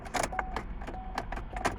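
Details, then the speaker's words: Car that will not start, key turned: a few sharp, uneven starter clicks and the engine never turns over; no-crank condition, battery voltage to be checked next as possible cause. "customer complain that it's not starting you could hear the starter making or clicking nice"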